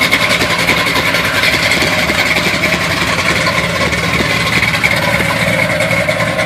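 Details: 1971 Chevy Blazer on a cold start, idling with an uneven, lumpy beat and wavering loudness rather than a smooth run; rough idle of unknown cause.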